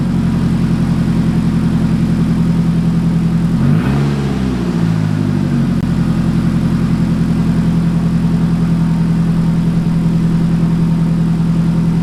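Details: Nissan 180SX engine after accident, run on temporary fuel pump setup during inspection: steady even idle, low smooth hum, one brief blip around four seconds, no hunting; engine confirmed good — normal idle.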